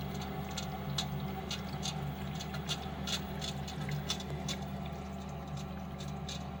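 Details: Lenox furnace running: low steady hum with scattered, irregular sharp ticks and soft patters, described as slugging and ticking; cause unknown.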